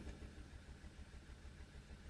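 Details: Audi TT with P0304 cylinder 4 misfire and injector shutdown idles with an uneven, lumpy stumble several times a second; plug and coil swaps ruled out, low cylinder contribution; the finding is misfire from low compression caused by a head gasket fault.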